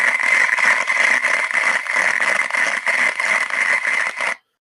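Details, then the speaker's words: Damaged rolling bearing heard via structure-borne ultrasound, running with heavy friction: harsh crackling hiss with rough pulsing about three times a second, in contrast to a smooth-sounding good bearing. "and this is what a bearing sounds like that's in in a bad condition so in this beeding there's quite a lot of friction and it's damaged on the"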